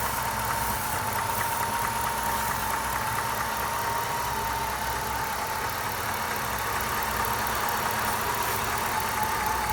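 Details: 1997 Lincoln Mark VIII, Ford 4.6L DOHC V8 idling steadily with a thin wavering whistle; idle drops when the leak spot is found, an intake vacuum leak.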